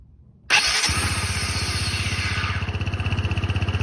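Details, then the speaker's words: Low-mileage Honda SH150i scooter at startup: high whine for a split second as the single cylinder catches and settles to idle, sometimes also at shutdown; cause unconfirmed. "Let me start it up and you hear the whine. When it starts up, the engine runs, but it whines for like another split second or so."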